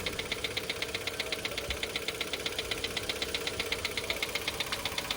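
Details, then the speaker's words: Mitsubishi Xpander noisy right after an oil change, idling: a sharp, regular light ticking at about four per second over a quiet engine, attributed to the timing chain; the oil put in was very thick, possibly gear oil, and will be drained. "Lumabas na yung ingay. Tapos pansin ko rito, napakalapot na"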